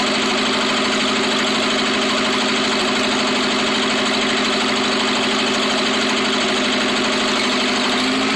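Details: Rebuilt Atomic 4 engine: rough uneven idle with irregular stumbles about two and a half per second — misfire, pointing to one cylinder.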